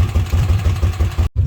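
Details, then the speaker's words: Kawasaki Mule after oil seal replacement and reassembly: low, even putter about seven or eight pulses a second, no ticking or clatter; idling nicely, no oil leaks. "Alright guys, we got it all running. There's no oil leaks. As you can hear, it's idling pretty nicely."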